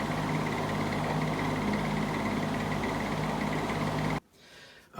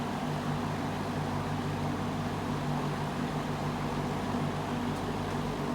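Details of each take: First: Old GE motor running in reverse after cleaning and oiling: even motor hum with a faint high chirp on top for about four seconds before winding down; cause unknown, owner plans to oil it again. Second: Old fan "Rusty Bob" on low speed after about an hour, previously chirping on low in reverse: steady, even low hum with no chirps or squeaks; owner suspects compacted felts and play behind earlier chirp; normal running on low.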